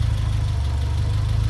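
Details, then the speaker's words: Turbo Fiat Cinquecento project car on a cold day, idling unassisted with no throttle before warm-up: steady low thrum with even pulses and no wandering or misfire; slightly rich but clean, with little smoke. "actually pretty good let's go right be honest that's actually running pretty clean it's not smoking too much at all so the fueling can't be that bad off so that's a definite win"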